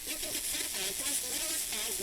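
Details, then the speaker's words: Pioneer SX-1250 receiver tuned to a weak FM station: hissy, smeared audio with programme warbling underneath from multipath, the reflected signal's phase difference with the direct signal. "so what that is is that is the multi-path that you're hearing you're hearing the phase difference between the multi-path signal or the reflected signal I should say and the direct signal"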